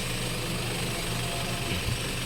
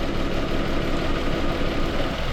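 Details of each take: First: Toyota Wigo after replacing one bent connecting rod (no piston rings changed): smooth even idle, tapping knock gone, no smoke; normal idle after repair. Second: Mitsubishi Mirage G4 petrol engine that misfires when hot, with a fuel injector code after coil and spark plugs replaced; idle shakes and stumbles when injector harness wire is moved, a loose connection.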